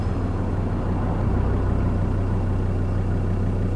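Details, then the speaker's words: Land Rover Discovery 2 parked roadside mid-trip, idling steadily with a faint quick puffing under the low rumble, about three per second; previously resealed manifold and studs have failed. Exhaust manifold leak. "where I took all the manifold off and resealed it all and put all the studs back in and everything like that? That's all gone now. It's all gone. All that work was wasted."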